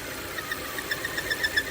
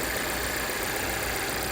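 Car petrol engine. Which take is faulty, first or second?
first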